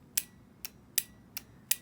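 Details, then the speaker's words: Used Mercedes S/SL/SEL fuel injector bench-tested with a power probe applying voltage: five sharp, crisp clicks about every half second, clean snaps with quiet between; injector opens properly. "i don't know if you can hear that as opposed the click from the injector as opposed to the click from the button but it is uh clicking the injector is clicking"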